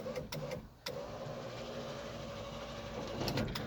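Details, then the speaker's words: 1986 Toyota 4Runner, first used rear power window control module tested in-circuit, key on, window run from the rocker switch, all factory safety interlocks in place: a few crisp, light relay clicks in small groups over quiet background; relays switching normally. "Key is on the ignition position, and we're going to operate the window from the rocker here. If you listen closely, you should hear the relays trigger."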